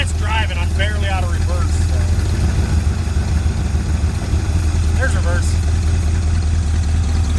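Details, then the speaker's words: 1981 Ford Mustang 5.0 V8 revived after sitting, with the throttle cable not yet hooked up. A deep, steady, even V8 rumble, slightly fast, with no knocks or misses; the owner thinks the high idle comes from the timing. Normal, healthy idle. "yeah I wish the throttle cable was hooked up that's exciting I'm happy engine sounds really good very healthy"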